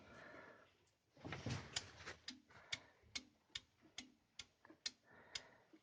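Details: VAZ 2109 cold engine started after valve clearance adjustment: sharp, even knocks about twice a second, gone when warm; piston set with rings and pins replaced, only 10,000 km after overhaul; overheating suspected.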